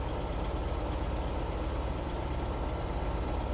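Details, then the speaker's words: 1973 VW Squareback Type 3 air-cooled flat-four idling on first start-up after new points, plugs, injectors, starter, hoses, timing and valve adjustment; headlights and fan on, charging about 13-14 volts; steady even idle, no misses or knocks; normal idle. "So I think we're doing pretty good charging-wise. Okay, good. So sounding pretty good."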